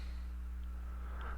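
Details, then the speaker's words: Acer Aspire 4720Z 14.1-inch laptop during a screen-casting test, CPU and memory pegged near 50%: a faint steady low electrical hum sits under the recording at unchanging pitch; source unknown. "Recording, but you can hear this humming in the background, and that's what I got my other one set on, 80 and output device. So I got all the same settings, but there's just this, real light hum in the back."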